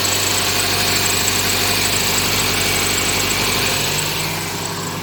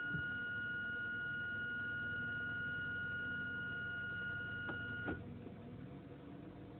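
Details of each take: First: Inspira 2.0 / Lancer GT at idle after a morning start, before repair: steady low drone and buzzy vibration from the engine bay, most likely from a broken engine mount. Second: Mitsubishi Inspira 2.0 / Lancer GT after engine mount replacement, heard from inside the cabin at idle with aircon off: soft, even, steady engine sound, the previous droning hum and vibration gone.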